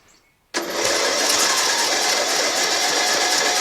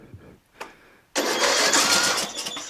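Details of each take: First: John Deere L100 lawn tractor, 17 HP Briggs Intek OHV, new stator, starter, magneto and battery, tank drained, first crank after one spray of starting fluid: about five seconds of steady starter whirring, no firing; cranks but won't start. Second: John Deere L100 lawn tractor, 17 HP Briggs Intek OHV, new stator, starter, magneto and battery, starting fluid sprayed, choke applied: a few quiet cranks, then the engine catches abruptly and runs with a loud, busy rasp; starting on choke.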